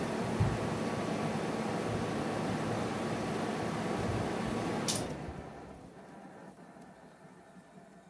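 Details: GE window air conditioner AHC12LYW1/ACH14AZW1, after bypassing the control board to fix beeping, 88 error and shutoff after five seconds, test run. A steady fan rush runs evenly, then a click and a quiet wind-down, normal operation.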